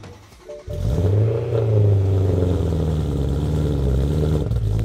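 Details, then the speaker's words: BMW E90 M3 S65 V8 on ECU cold-start program, running rich at raised engine speed: loud, deep fast idle surging up and down every second or so; high fluctuating cold-start idle. "For some people, this is kind of rough idle and it is scary with the fluctuating engine speed and crazy loud noise. The engine is rattling like an earthquake and sometimes even the rough idle will make my engine stall."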